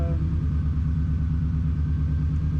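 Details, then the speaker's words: Subaru WRX converted to Haltech engine management and flex fuel, idling: faint steady whine over the engine rumble from the power steering pump, because the power steering system has not yet been bled of air. "power steering hasn't been bled. You can hear it."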